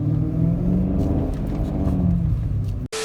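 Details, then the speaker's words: Warm BMW E39 M5 engine revved above about 2,500 rpm: a light metallic rattle rides on the rumble and appears only when warm. Worn, cracked plastic timing chain guides, with pieces found in the oil pan; guides and cam sensors are to be replaced. "Once you get around above almost 2,500 RPMs, you hear the rattle. Yeah, this is not a pleasing sound. The sound really only comes in when you warm the car up."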